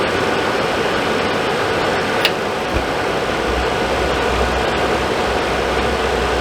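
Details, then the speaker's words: Suburban RV furnace (possibly SF30FQ) after control board replacement and thermostat wires reconnected: fires first try, steady blower and burner whoosh with no clicks or cycling off, running normally after earlier repeated failures. "Fired right up first try that time."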